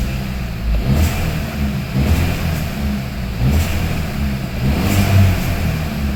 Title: 1.4 T-GDI rachot - engine rattle sound Hyundai i30 KIA CEED